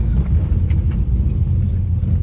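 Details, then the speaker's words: 2014 Jeep Wrangler, warmed up, hard-throttle test after repair of misfire and limp mode: deep engine rumble builds smoothly with no stumble or hesitation; pulls cleanly now, normal acceleration. "this thing actually pulls now"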